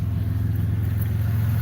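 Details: 2001 Chrysler V6 with crank-no-start: with an external ground jumped to the sensors, a steady even idle with no misses or knocks; it dies when the ground is pulled, so the PCM has lost sensor ground and needs replacing.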